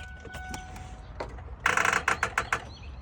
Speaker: that means you need to jump your battery is not strong enough not even if you got a new battery you could have left something on nobody knows why but that noise right there is saying I need a new battery and there's not enough power to start turn the starter